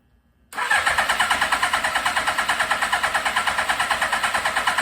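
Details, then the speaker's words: 1982 Suzuki GS1100 motorcycle, first start in over 20 years, choke on, pod filters fitted without rejetting: steady cranking at three beats a second that never fires; owner suspects too much air and not enough fuel in the carburetors. "so afraid of what's happening right now is i've just got too much air and not enough fuel in the carburetor so"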